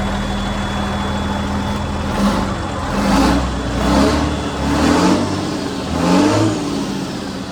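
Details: John Deere JD6081H diesel, 10,739 hours, in a 300D articulated dump truck parted out for differential issues: steady idle with a few light throttle blips, even firing and no knocks or misses. It runs good and is healthy.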